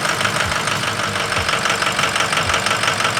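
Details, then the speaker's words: Ford 6.0 Power Stroke diesel just restarted after repair; lumpy, uneven idle, about three stumbles a second, with hydraulic rattle as air bleeds from the high-pressure oil system; rough idle from air in high-pressure oil. "it's got some air in the in the High Press oil system okay we'll be able to hear that Reverb Off the Wall"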